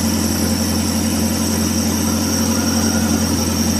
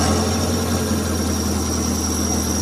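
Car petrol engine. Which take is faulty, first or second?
first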